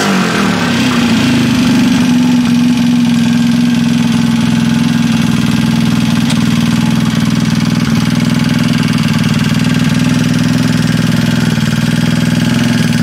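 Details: Freshly assembled Trailmaster 150 stroker single-cylinder engine with cleaned head and valve job: quick, steady putter with no knocks or rattles; healthy idle.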